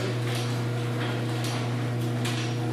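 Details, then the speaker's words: LiftMaster 8165 1/2 hp chain-drive garage door opener (2015), running: steady motor hum with a scraping swish about every half second as the chain travels; owner suspects a loose chain dragging, harder to hear up close, not confirmed. "I'm thinking I'm also gonna have to tighten the chain I think that's a little bit loose because you can hear dragging on Tralee"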